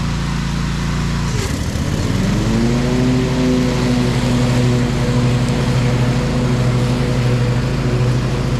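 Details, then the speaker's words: Bad Boy Maverick zero-turn, Kohler Confidant V-twin, after new ignition coil fixing one-cylinder low-power fault, new deck belt, cutting thick grass; briefly pulls down then recovers to steady even drone – normal running under load. "we're good the belt track good and everything nothing feels like it got hot or anything can usually tell if you grab that belt and it's real hot that it's not tracking correctly the motor run good"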